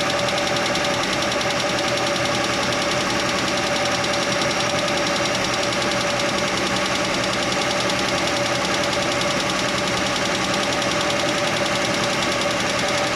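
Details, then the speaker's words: Chevy Nova straight-six idling with the valve cover off: quick light ticking in time with the engine; stethoscope on each rocker stud found one ticking, and tightening that loose rocker arm while running quieted it. "I put the stethoscope on each stud, and that one I felt like it was ticking, like the other ones weren't"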